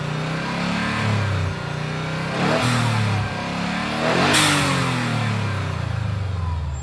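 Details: Subaru Impreza WRX GC8, EJ20G turbo flat-four revving up and down with irregular knocking under the exhaust note; driven a year, prior owner two years; told forged pistons knock, owner suspects connecting rod; unconfirmed.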